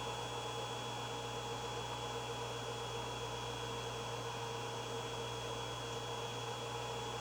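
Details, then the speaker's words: Creality Ender 5 3D printer with the Creality Silent Mainboard V1.1.4 (TMC2208 drivers), idling before a print: only the fan spinning, about 38–40 dB on a phone meter, a quiet steady whir with no ticking, normal. "as you can see we're around 38 to 40 DB without a print running so that's just the sound of the fan spinning on the printer"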